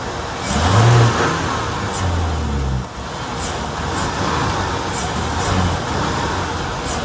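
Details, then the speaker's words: 1994 Ford F-250 4.9 L inline-six, 5-speed, in gear at full throttle: the engine swells briefly, then sags and drones flat without gaining revs. It starts and idles fine but bogs under throttle; later solved as faulty PCM and fuel pump. "So yeah, that was foot to the floor. I mean, it didn't want to do anything. And that's kind of where I'm at when I have it in gear and I try to drive it anywhere."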